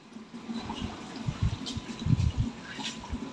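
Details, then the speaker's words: LG inverter washing machine whose water would not enter the tub, after reassembly, water level set lowest: soft rushing and splashing of water into the tub with light bumps; filling normally now. "Airnya sudah masuk Pak masuk masuk itu sudah ya"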